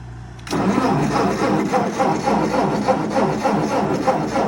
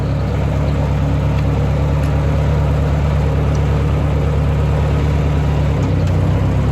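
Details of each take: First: 1958 Ford 871 Powermaster Select-O-Speed tractor after fitting fresh ignition parts: the starter spins the engine evenly at about four beats a second but it never fires, with a gas smell; a crank no-start, apparently from no spark reaching the plugs. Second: 1958 Ford 871 Powermaster Select-O-Speed tractor, restored after about 20 hours of work, started in park: a steady, even low idle with no misses, knocks or ticks; a normal, healthy idle.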